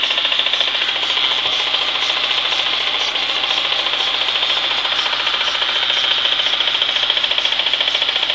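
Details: Renault Clio with the engine running, in neutral or moving: busy metallic chatter pulsing three to four times a second; stops when the clutch is pressed at standstill, gets louder with speed, persists when moving even with clutch pressed; gearbox or clutch suspected, undetermined.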